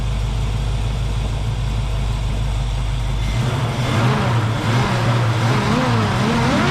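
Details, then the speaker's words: 1966 Ford Mustang, 289 V8 with headers and glass-pack mufflers, abandoned for years and ignition points swapped to electronic ignition, first run: deep, even loping V8 idle; sounds good, smoke only from spilled oil on headers. "I'm going to wrap on it for a little bit. actually sounds good. Something's smoking, but that's just spilled oil on the uh headers."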